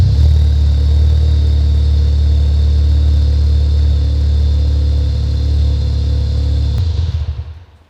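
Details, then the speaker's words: VW Golf GTI Mk3 rally project, phone placed next to exhaust: very loud, deep, droning boom at tick over reading 99 dB, over the 92 dB track limit, then shutdown; hollow universal Powerflow rear box, to be replaced. "So, already on tick over it's 99. So, there's no point revving it up."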